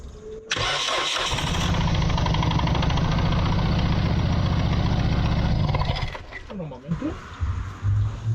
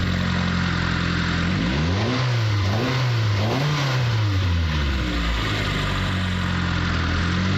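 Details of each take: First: Mitsubishi Lancer CE after spark plug tube seal repair: long crank catches into an uneven, stumbling idle that lurches and dies back; misfire because one ignition coil was left unplugged. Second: Mitsubishi Lancer CE engine, after fixing spark plug tube seals and plugging in both coils, settles into a steady idle, then revs up smoothly twice and drops back cleanly with no miss or stumble; normal running.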